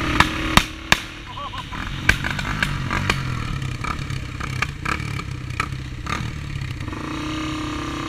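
Uneven revving engine with irregular sharp pops and stumbles breaking up the beat, sounds like it's misfiring under throttle. Cause suspected, not confirmed.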